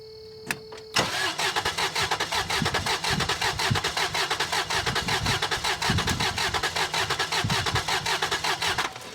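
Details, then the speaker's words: 1994 Toyota 4Runner 3VZE V6, coil wire unplugged, mic clipped at the engine: starter cranks about 107 beats a minute with uneven rhythm, speeding up where pistons meet no compression; two cylinders low compression. "did you hear that it wasn't rolling over smooth he got noticeably faster he got noticeably faster when that piston or pistons started coming up on compression stroke and there was no compression there to push back on it"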